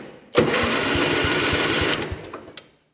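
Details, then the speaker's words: 1972 John Deere 110 garden tractor, sat in barn for years: after cleaning bad battery cable connections, starter spins engine evenly for about 1.5 seconds, no firing; normal cranking. "there we go i had to clean up the bad connections i guess so now we're turning over"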